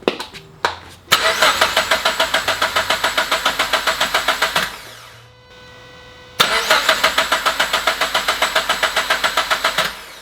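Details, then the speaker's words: Turbo Subaru BRZ before first start, crank position sensor still unplugged to prime oil, with a known coolant leak: two bursts of cranking at about three and a half pulses a second; turns over but never fires, as intended. "okay i feel confident that we have oil pressure let me reconnect the crank case crank position sensor if i can even plug it in"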